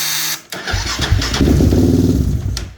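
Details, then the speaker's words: 2015-or-later Raptor 700 ATV: brief buzz at the starter button, then cranking, catching and revving; intermittent no-start blamed on bad batteries, starter relay problems and one faulty main power harness connection at the starter relay. "sometimes it'll start sometimes it won't a ton of bikes do this 15 and above"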